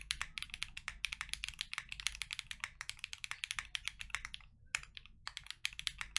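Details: KNC Keys Tofu Linear all-nylon long-pole switches, lubed, in a Freebird60 gummy O-ring-mount case with POM plate, silicone dampener and polyfil. Quick, even clacks of steady typing with no rattle or scratch: normal typing sound.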